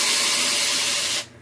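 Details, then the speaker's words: Consul 12 kg washing machine on spin, empty with no load: harsh, hissing scrape that stops abruptly, the drive belt slipping on its pulley at the motor; customer says it screams during spin, worse with load. "aquele barulho arranhando né como se fosse alguma coisa prendendo"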